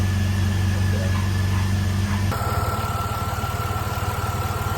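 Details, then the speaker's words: Jeep Liberty engine after valve cover seal work, just restarted after two years sitting, penetrating oil burning off exhaust bolt: steady even idle with a low regular pulse near 160 a minute, no knocks or misses; normal idle. "Sound pretty good. Good throttle response."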